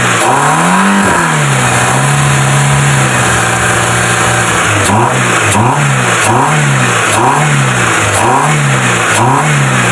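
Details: Proton Wira after throttle body cleaning, fixing low idle, stalling and no power: steady idle, repeated quick revs rise crisply and settle straight back to even idle; healthy.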